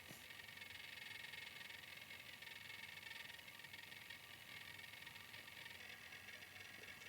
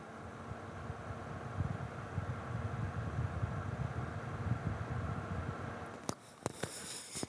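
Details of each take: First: Viltrox Ninja 30B 300W bi-color COB LED studio light, cooling fan spinning up to full speed right away at switch-on: steady airy fan rush with a faint thin high screech from the fan bearing; quieter once mounted on a stand. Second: Viltrox Ninja 30B 300 W bi-color LED light with its cooling fan at full speed, normal; it spins up to full right away when the light is turned on. Steady fan whoosh with low hum, a few handling clicks.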